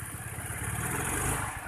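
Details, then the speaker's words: Honda Vario 110 scooter: uneven stutter on first throttle opening from low revs while mid and top revs are normal. The vacuum rubber is fine, and the carburettor and valve adjustment are under suspicion. "Jadi kalau mengenai jalan atau putaran tengah atas normal, tapi putaran bawah tidak normal."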